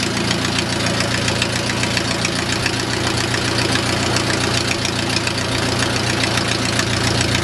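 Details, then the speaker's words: O-84 (4A084) with homemade fuel injection, ECU-controlled mixture: rubber plug removed from intake manifold port admits unmetered air, raising idle to an uncontrollable steady 1850 rpm; high idle from intake vacuum leak. "that would be our p.m. that you can't control it's just a rubber plug when I remove it Indigo's 1850 rpm"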